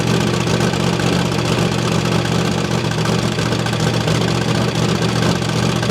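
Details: Holden Commodore 5.0L V8 first start after revival: a steady idle with a loud, raspy exhaust note and a ticking chuff, likely from an exhaust leak because the exhaust bolts were left untightened.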